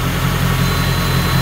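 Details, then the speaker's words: Jaguar S-type R V8 (406 hp) idling after its gearbox was replaced and refilled with oil: a steady low idle with a faint constant high whine, like a missed gear. The owner hopes it is the oil pump sucking; cause unconfirmed. "ça ne fait pas un bruit dégueulasse là ? Comme si tu ratais la vitesse oui."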